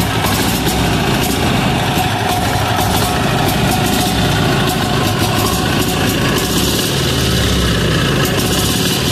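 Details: Amazon 186FA single-cylinder diesel idling after being fired up on diesel and switched to filtered used synthetic motor oil fuel; steady, even chug with no knocks or stumbles, smoking until warmed up. Normal idle.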